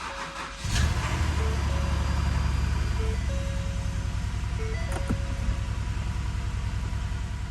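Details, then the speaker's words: Ford engine at first start after a timing chain job: cranks, catches and at first sounds normal, then settles into a rough, uneven, lumpy idle; a misfire, confirmed with a scan tool. "we breathe The Sire of relief as the engine starts up and sounds pretty normal but it is shortlived as the engine is running pretty rough and at first I'm not sure exactly what it is but the more I listen to it the more I realize that we just have a misfire on the engine"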